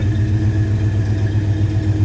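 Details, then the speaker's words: 1957 Ford Fairlane Ranch Wagon with 390 V8 at idle: deep, even burble with steady lope, no misses or ticks; normal, healthy idle. "slip around in the back scene here this run 390 nice sound to it"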